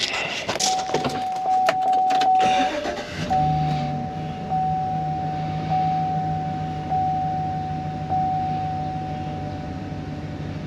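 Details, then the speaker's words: 2015 Chevy Express with an intermittent bank 2 injector fault, restarted after reseating the fuse and wiggling the harness: steady, even idle with a constant low hum and a faint chime; no stumble, running smooth. "ran out smooth"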